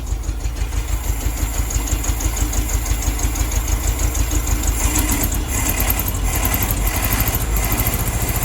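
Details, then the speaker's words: 1972 VW Beetle 1200 first started in about two years, air cleaner off the carburetor: rough, lumpy idle with an uneven chuffing beat, about three pulses a second; misfire, not running on all four cylinders, cylinders unidentified. "i don't know which cylinders it's not firing on um but it's definitely not on all four"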